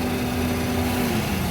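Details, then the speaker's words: Toyota Wish idling after oil leak seal repair and water pump replacement, left running to warm up: steady smooth idle with even radiator fan whoosh, no knocks or rattles; healthy, leaks now dry. "ตอนนี้รถสตาร์ทอยู่นะครับเได้ยินเสียงพัดลมทำงานก็สตาร์ททิ้งไว้จนความร้อนขึ้นนะครับ"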